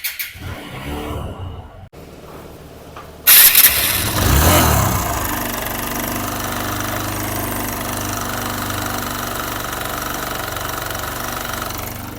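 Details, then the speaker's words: TVS Apache RTR 160 BS6 idling after start: fast, loose metallic chatter about three per second over the idle, a slack timing chain rattling loudly; timing chain to be replaced, oil also leaking from the cylinder head. "देख timing चन से कितना ज्यादा नज आ रहा है तब इस बाइक का टाइमिंग चन को रिप्लेस करेंगे"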